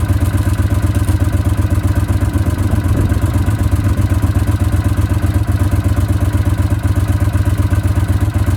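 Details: Honda CX500 twin at an even, steady idle, about four pulses a second with no misses or knocks; battery charging measured at 14.2 volts; the bike is healthy.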